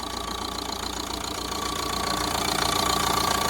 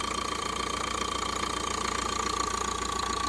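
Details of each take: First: 2014 Vauxhall Vivaro 1.6 CDTI van diesel, run briefly without coolant: regular idle clatter about three beats a second with an occasional uneven stumble; slight misfire at idle. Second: 2014 Vauxhall Vivaro 1.6 CDTI van, run briefly without coolant, with a blocked DPF code showing. Even diesel clatter at idle with a faint steady whine, described as missing slightly but sounding lovely: normal diesel idle.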